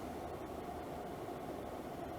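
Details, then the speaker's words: Levoit LV-H133 air purifier after fan repair, on medium with the grille still off: soft, steady airflow whoosh with no rattle or scraping, running quietly with slight vibration from something still somewhat out of balance. "that's on medium now and it is running pretty quietly I can feel a little bit of vibration"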